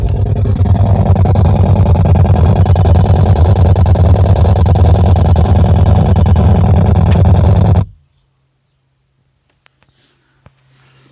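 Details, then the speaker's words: Audi A3 with Audi Concert stereo, rear left speaker: loud, harsh buzzing rattle about three pulses a second, stopping dead when cut; speaker and wires checked tight, owner suspects the head unit. "Hi guys, got a problem with the Audi concert stereo in my Audi A3. It's making this sound from the rear left speaker."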